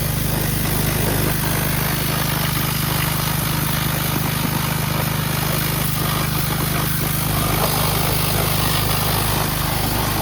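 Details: 2009 Kawasaki KLX 140 dirt bike, sat about two years, on a test ride: constant even engine drone at steady speed, no misses or knocks under the riding noise; runs healthy.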